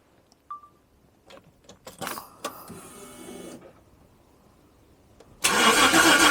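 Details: $200 Jaguar after weekend engine swap, first start: a few cranks and clicks then engine catches cleanly and runs steadily; oil pressure builds on gauge, not charging yet.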